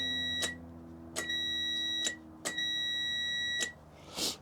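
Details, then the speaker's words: 2004 Hustler zero-turn mower with no spark, meter testing relay ground wires with the key off: four clean continuity beeps at irregular intervals. Earth ground with key off, none with key on, so that relay switches fine. Normal continuity. "So [snorts] that one seems to be switching just fine. So when the key is off, earth ground. Good."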